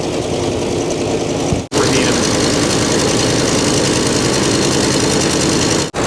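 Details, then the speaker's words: 1964 Mercury Montclair, abandoned 28 years, first run with oil pressure up and the alternator charging but no water in the cooling system, run only briefly: a steady, even V8 idle that sounds like it's firing on all cylinders. "sounds like it's firing on all a yeah we don't want we don't want to run it very long yeah no water in it"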